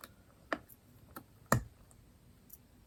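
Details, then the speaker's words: Swiss Army 7290XZ wristwatch after replacing the 377/376 battery: soft, sharp ticks about once a second in a quiet room; movement running normally again. "you can hear it ticking again which is great so we just got our new battery installed"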